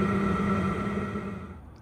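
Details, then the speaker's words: H Calory diesel heater at startup, powered from a portable power station. Steady fan whir with a light hum, even and unwavering as it fades; running smoothly while warming up. "if you can hear that clicking that's part of the startup process and you can hear the fan spinning higher and higher"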